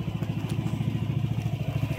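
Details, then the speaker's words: Yamaha Nmax v2 after engine refresh and tensioner replacement, previously noisy: low, even putter about twelve beats a second, no clatter or grinding; old noise gone, quiet healthy idle. "So wala na yung dati niyang tunog. May sa dati. Saan? Wala yan. Tahimik na siya."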